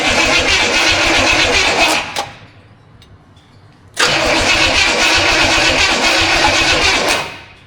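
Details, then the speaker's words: Studebaker at its first start, timing unknown, no transmission fluid: two even cranking bursts at about four beats a second with no firing at all; cranks but won't start because the ignition module was left unplugged, so no spark. "Well, that wasn't successful. It doesn't even sound like it wants to go. No."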